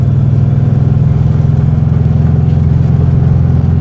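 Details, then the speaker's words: 1967 VW Beetle, first start after the engine was reinstalled and the oil changed: a low, loping idle with an uneven, intermittently stumbling beat, and the engine then dies. Misfire suspected; plugs to be cleaned and re-gapped. Rough running, possible misfire. "Here we go. Kind of sounds like we might have a little bit of a misfire."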